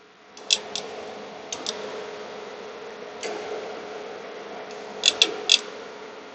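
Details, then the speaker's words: XFX RX 580 GPU with a replacement cooling fan spun by hand: sharp light ticks in small irregular clusters. The blade is believed to be striking a screw head that sticks up too much, maybe because of pressing down while spinning. "So as you guys can see right here, that spins, it's not hitting anything. Sounds like it is. I just don't know if it is or not. I do believe it is striking that screw head."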